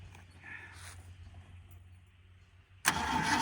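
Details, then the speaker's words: 1979 Ford Fairmont two-door police car, now fed from its tank holding five gallons of fresh fuel and started from the key: a weak, uneven starter churn, then a sudden loud catch; they suspect fuel isn't pumping yet. "I don't think we're pumping yet"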